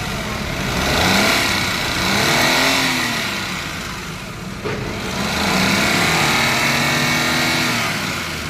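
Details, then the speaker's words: Maruti Alto 800 revved up and down: loud rough clatter rising with revs; mechanic suspects valve tappets, tappet cover to be opened and tappets checked. "Accelerator पर आवाज इतनी ज्यादा है गाड़ी में च या बहुत ज्यादा तो इसका मतलब है सर्जी की गाड़ी का टेपट कावर खुलेगा"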